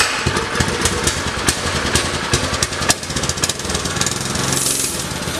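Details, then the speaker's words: Predator engine swapped onto a mini bike, sat unused on another bike for a year with possibly old gas, pops unevenly, stumbling and surging; rough running, carb trouble suspected. "We are having some carb trouble. This motor's been sitting on the blue bike literally a year, so the gas in it may be old."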